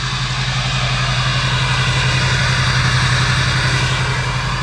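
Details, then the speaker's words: LLY Duramax just fired up after a Pusher hot and cold side, Y-bridge and S&B intake install, hood off, before coolant fill; steady, even diesel idle, firm low rumble, no knocks or misses; normal idle. "And we're getting close to actually taking this for a test drive. We're fired up, sounding really good."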